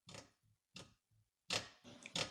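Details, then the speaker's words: Infiniti G37 with metal screeching/knocking: short creaky squeaks in quick bursts as the lower ball joint is squeezed with channel locks, showing considerable play. Worn lower ball joint; upper ball joint and tie rod end tight. Whole control arm replaced. "you could hear that squeaking sound and that's quite a bit of play so my lower ball joint is going on this car"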